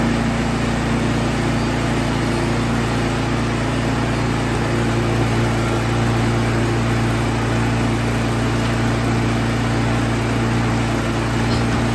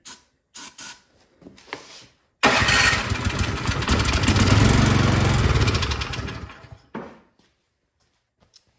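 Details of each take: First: Troy-Bilt Storm 2665 snowblower small single-cylinder engine that would not start after sitting all summer with gas in it, now reassembled: a smooth, even steady hum at constant speed with no misses or surging, running normally. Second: Troy-Bilt Storm 2665 snowblower left all summer with gas in it, won't start: fires and roars about four seconds on starting fluid, then fades and dies; fuel starvation.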